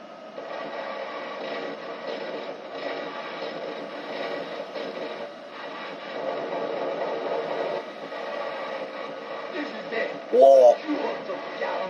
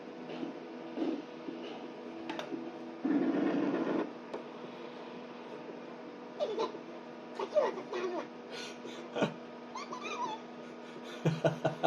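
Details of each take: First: 1991 Sega Rail Chase arcade PCB on Y hardware, after repair. Game voices and sound effects come through clearly again over a light static hiss from poor speakers. The static may be a grounding issue or the volume set too high. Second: 1991 Sega Rail Chase arcade PCB (Y hardware): squeaky, sped-up chipmunk voices with many sound effects missing from broken sound-circuit traces; a missing 220k resistor or the Z80 was suspected.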